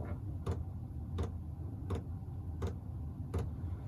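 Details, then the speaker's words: Chinese diesel air heater installed in a workshop, just fired up. Crisp fuel-pump ticks about 80 per minute over a low, steady combustion rumble. The heater is lit and running normally. "so it should be producing hot air so let that ramp up and uh see how noisy is and see how much heat it produces"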